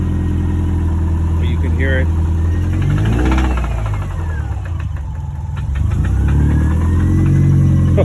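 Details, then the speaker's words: 2007 Subaru Impreza WRX engine running with a steady low rumble and a repeating knock that gets heavier on acceleration; judged a rod knock, with an intake cam right-side position sensor circuit code and hard starting. "so this is what she sounds like i got her to run but there's a slight knock and it gets heavier once you accelerate"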